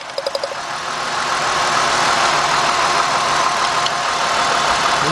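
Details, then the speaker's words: 2000 Mercury Cougar with a misfire, idling while ignition wires are pulled one at a time: a few sharp spark snaps, then a rough, uneven idle that stumbles harder as each good plug wire is pulled; misfiring cylinder. "at the next one. Look at that guys. See the misfire."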